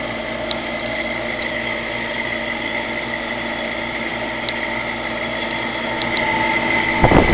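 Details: Old HVAC unit three-blade fan running: steady high whine with scattered ticks and rattles from bad fan motor bearings.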